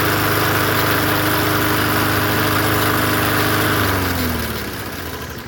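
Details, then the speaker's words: Poulan 20-inch push mower, engine swapped onto another deck: small engine runs at a steady, slightly rough beat, then winds down on shutoff; it shakes, blade suspected not lined up or seated correctly. "All right. Bonus. It shakes. The blade could be on there better."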